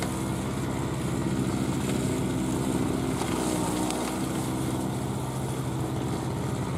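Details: 2003 Murray single-stage two-stroke snowblower, unrun 5 years, cutting a path through snow: steady, even, unbroken buzzy drone holding speed. Runs clean and healthy under load after first-pull start.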